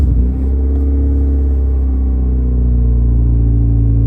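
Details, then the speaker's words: 1989 Honda Civic EF sedan started after 2–3 days sitting, with fuel injector cleaner and 2-stroke oil added to the fuel; deep, boomy, throaty idle drone; major exhaust leak from a large hole in the muffler. "Sounds pretty decent so far. It's got a major exhaust leak. There's a hole like this big in the muffler."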